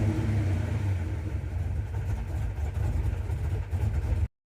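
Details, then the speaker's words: Carbureted car with a newly added inline electric fuel pump priming the manual pump, earlier fuel sump hose and filter leaks fixed. Engine revs up and settles to a firm even idle without stumbling; working well with no leaks. "And it's ready to rock and roll. It's working well and most importantly, nothing's wet. There are no leaks."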